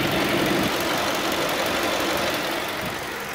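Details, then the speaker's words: 2009 Ford Focus idling with radiator fans running after a fan no-start fault repair; temperature dropping from 206–208 to about 186–188; steady airy fan rush easing slightly at the end, normal cooling fan operation. "ya es el régimen normal de trabajo al parecer de este vehículo pero miren Si estuvieran prendido los ventiladores y la temperatura estuviera subiendo Pues ya sería preocupante"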